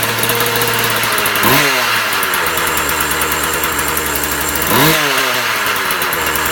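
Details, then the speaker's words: Husqvarna 36 chainsaw after repair: fast buzzy two-stroke note holding steady with two brief throttle blips while warming up; running fine, may need tuning tweaks. "Okay guys, so I gotta fire it up, and just, it may need a little tweaking here and there. I'm just gonna let it warm up."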